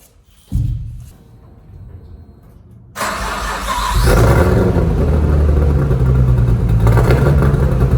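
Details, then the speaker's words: Nissan R33 Skyline sedan with 3-inch straight-through exhaust to Varex muffler: cranks and catches, then lumpy, stumbling idle with uneven exhaust beats and spitting at start-up; very bad misfire. "she's got a very bad misfire actually put down a bit of uh cardboard there because when she starts up she likes to spit out a bunch of disgustingness"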